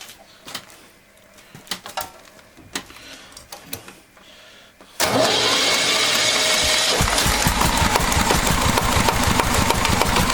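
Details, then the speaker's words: Walk-behind tractor (motoblok) single-cylinder engine after a rebuild with a new bushing runs steadily at mid speed with an even beat; the earlier knock, thought to be connecting-rod, is gone. Slight gear wear remains. "у меня движком довольны как собрал все стук перестал"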